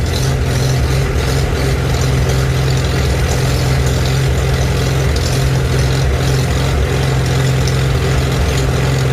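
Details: Old tractor with a cheap eBay carburetor being adjusted: low idle whose speed dips and recovers every few seconds. Fuel issues are suspected, not confirmed.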